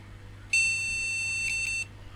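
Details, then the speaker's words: Retro ATX PC at boot after swapping and cleaning a graphics card: one continuous high POST beep of about 1.3 seconds over a quiet hum, warning no graphics card detected, though possibly no monitor; another AGP card to be tried. "and now he's basically saying there's no graphics card I think I'll try another one could be saying there's no monitor sometimes"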